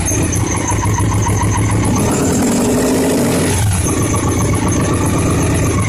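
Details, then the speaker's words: 2002 Victory V92C V-twin fuel-injected motorcycle after the TP sensor and TP-learn work, aftermarket fuel controller still installed: uneven, lumpy, stumbling idle with a flat brief rev. Still running very rich; the fuel controller was removed next. "and it's running richer than crap still"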